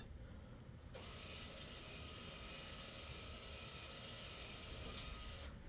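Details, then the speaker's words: 2020 Kia Telluride rear electric parking brake retracted into brake pad change mode with an aftermarket scan tool; faint even motor whir for about four seconds then stops, no grinding or clicking. Normal parking brake retraction. "Now, if this works, we're going to be able to hear the rear brakes retract."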